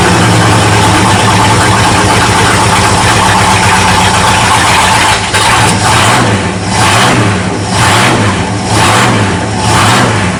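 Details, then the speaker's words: 1979 Ford dentside truck with a newly installed carburetor, warming up: heavy V8 idle that sags and surges about every second and nearly stalls; float set too high, getting too much fuel and choking out at idle. "I think the float set too high again just choking it out at idle we'll have to tweak that some yeah it's getting too much fuel again"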